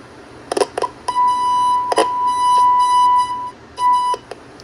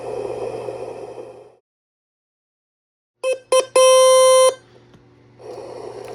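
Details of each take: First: Circa-1966 GE P1700A/P1701A germanium transistor AM radio, listening at the first IF transformer output while rocking a test signal around 455 kHz: tone cuts out and comes back weak; IF transformer not resonating, ferrite broken inside, needs replacement. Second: Circa 1966 GE P1700A/P1701A germanium transistor AM radio, signal tracer fed at the speaker voltage divider after finding shorted transistors: hiss cuts out, then clean steady test-tone bursts come through; audio section working.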